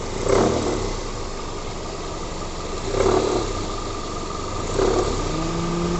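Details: Toyota Corolla in drive with the AC on, revved in short bursts: heavy, thick knock like a timing chain that swells under compressor load, traced to the poly-V belt tensioner by tensioning the belt with a wrench.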